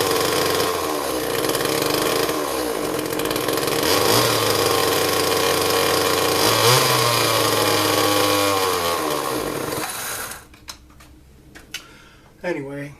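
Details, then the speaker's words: Homelite XL chainsaw, 1995–96, single-piston 32cc two-stroke, revs raggedly and surges for seconds, then dies; it won't idle and bogs out when given gas. Carburetor suspected. "what happens you collect you'll run but after a couple of seconds it'll go ahead and die off it does not idle and we try to give it some gas so how it will run in a fast idle well when you try to give it some gas they'll go ahead and bog out and die"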